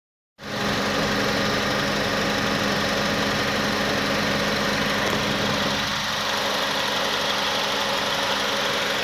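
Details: 2006 Honda Accord, 104k miles, idling with the A/C on: an uneven idle that sags each time the compressor cycles, nearly stalling before the ECU recovers; runs beautifully with the A/C off.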